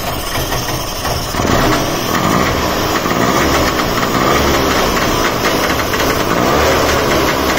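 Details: Trabant 601 just after a carburetor replacement and mixture settings, choke on, fuel tap on reserve: the two-stroke starts on the first try and revs freely with a crisp buzzy crackle, no misfire or knock, though fuel is leaking; normal running.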